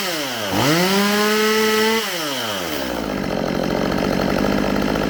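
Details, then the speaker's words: Stihl MS192TC chainsaw after repair of bogging and not revving (spark arrestor cleaned), bar and chain fitted: snaps cleanly up to a steady high scream and drops smoothly back to an even idle; normal revving and idle. "[Music] sounds good to me all right that's gonna do it for today's video this little chainsaw is back in action"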